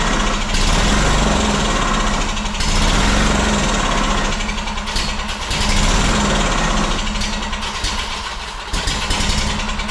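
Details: Honda two-cylinder engine that sat in a shed about 10 years, first start off a jug of gas with carb cleaner sprayed in the throat: uneven, surging run that sags and nearly dies. It doesn't seem to be getting fuel; the carburetor will probably be checked next.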